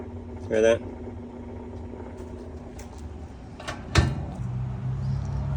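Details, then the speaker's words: Whirlpool washer lying on its back in drain and spin: low motor hum, a sharp clunk, then a louder strained drone as it tries to agitate; shift actuator stuck half-moved, not going fully into spin. "It's trying to agitate. Sounds like the shift actuator is stuck. Not fully going into spin for the washer to do its job."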